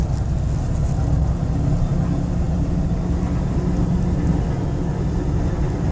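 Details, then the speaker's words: Old Chevy Silverado V8 on test drive after fixing a severe P0300 misfire with new NGK coils, plugs and wires, EGR valve, MAF and crankshaft position sensor: steady, even rumble, no misfire. "drive and as you guys can see the truck running great doesn't have any misfire everything is perfect"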